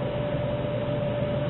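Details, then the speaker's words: Dell server power supply unit reassembled after DC ground isolation, powered up and outputting about 12.5 V: steady even fan whir with a faint constant tone, no rattle; fan running normally. "the Fan's fairly Lo noisy so you'll hear it right away if she's working fans's on"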